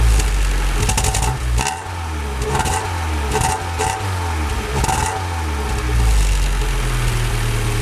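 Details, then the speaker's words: Honda Civic EJ9 start-up after final optimizations, checking whether the sound changed; catches and settles into a steady even idle with a few clean rev blips, no knocks or rattles; normal idle. "ça a l'air pas mal du tout"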